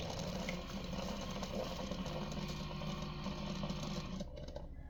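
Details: Keurig K-Mini Go after control board replacement for no power and high-pitched whine: steady low pump buzz with water trickling, running evenly and cutting off cleanly, normal brew cycle.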